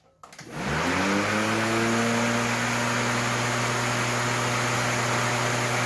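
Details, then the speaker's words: New Greenworks 20-inch corded electric mower model 25022, first start after assembly: motor spins up within a second to an even hum under loud blade wind noise, no rattle or strain, running normally and quieter than a gas engine. "everything seems to be put together okay and it started up just fine it just makes a lot of wind noise but still much quieter than a normal gas engine"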